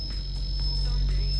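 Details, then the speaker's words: Competition audio car, mids amps on: constant high-pitched whistle over a low hum on the left channel only, right side silent; left RCAs loosened after crossing a railroad track, to be swapped. "They're all squealing. The right side's perfectly silent. So the left side RCAs are bad again."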